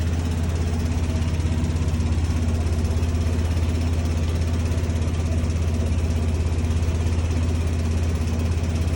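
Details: Bosch appliance: steady low hum with a fast even throb around 200 beats a minute; a weird noise of unclear cause.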